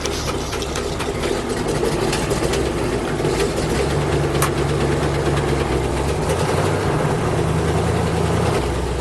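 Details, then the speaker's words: 1974 International Fleetstar ex-firetruck, 9-litre gasoline engine with automatic transmission, low mileage, started after sitting a couple of years with starting fluid: deep, low rumbling idle around 450 rpm, steady, no knocks or misfires, sounds like a mean cam; normal idle. "All 9 liters chugging along. That thing's idling at like 450 RPM. What do you think? Good. Sounds like it's got a pretty mean cam."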